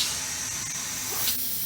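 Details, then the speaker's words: Air-operated ram entering a material pail. Trapped air vents out the small hole as a steady high hiss that fades as the ram seats on the material. This is normal. "it starts in the pail, you can hear the air escaping."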